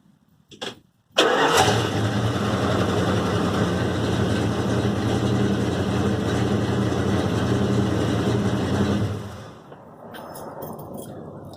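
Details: 1974 Dodge Power Wagon after replacing a muffler that had a hole and rattled: starts promptly and settles to an even, steady idle with a deep, smooth exhaust note, no rattle or blowing; much better, exhaust repaired.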